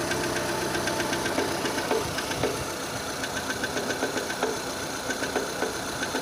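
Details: 2006 Renault Scenic 2, K4M 1.6 engine, automatic, 202,000 km, cold idle; light ticking knock about four per second; sound changes as it warms, source not pinned down.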